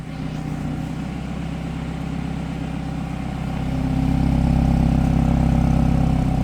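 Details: BMW F30 idling shortly after start-up: low drone swells 20–30 seconds after start-up into a louder throbbing hum, about four pulses a second; cause unknown.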